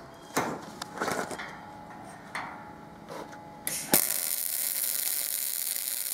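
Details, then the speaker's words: Binzel-style MIG gun test after changing the liner, same settings, machine and wire: a few handling clicks, then an even, unbroken hiss without popping. Smooth steady MIG arc; the liner was not the issue. "the machine didn't miss a beat it wasn't a liner issue this time"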